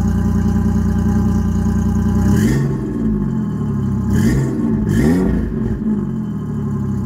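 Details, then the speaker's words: Ford Ranger 3.0 V6 cold idle before a header install; exhaust is 3-inch to 2.5-inch, three-chamber Flowmaster and 3-inch dump over the axle, no cats, O2 sensors zip-tied to the frame: steady low rumble with clean throttle blips. Normal. "we're going to fire it up cold see what it sounds like with how it is before the headers"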